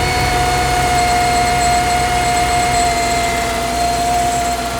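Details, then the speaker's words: 3rd-gen Dodge Durango 5.7L Hemi V8 running, with a battery warning light and low voltage recorded on the ECM. Constant mid-pitched whine from the engine until shutdown. Failing alternator, to be replaced. "Today while I was driving, I got a little notification, a battery icon on the dash, and following up with like a whining noise coming from the engine"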